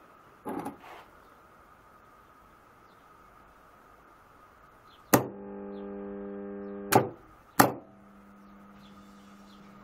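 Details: PME-211 magnetic contactor with 110 V coil, after adjusting the magnetic core gap: clean clunk pulling in, soft low hum about two seconds, clunk on release; much quieter than before, normal operation.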